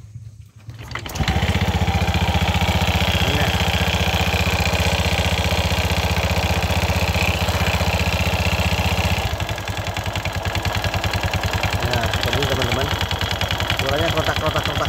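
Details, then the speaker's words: Honda Vario FI 110 scooter with CVT cover removed, started and idling then revved: coarse clattery knocking about two to three beats a second, rough at idle and acceleration; worn CVT rollers and pulley parts. "Nah, suaranya, Teman-teman, ya. Suaranya sangat kasar."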